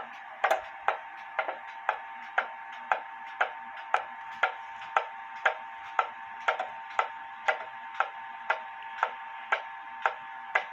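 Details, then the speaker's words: Clock close to in beat after adjusting the crutch slightly left; steady tick-tock about one beat a second with nearly equal spacing. "pretty close right there I'm going to let it continue to see if it stops but again the whole goal of putting a clock in beat when people say you want the even Tick Tock"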